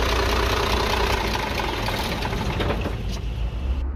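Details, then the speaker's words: Dongfeng truck with a 340 hp 24-valve Cummins diesel and a manual injection pump, which had been smoking and losing power: idling with a light quick tick about three per second over the rumble. Tappet clearance is suspected, so the tappet cover is opened to check. "बहरहाल इसमें आवाज जो है वह टिक टिक की आ रही है तो फिलहाल के लिए हम इसका टपट कवर खोलेंगे"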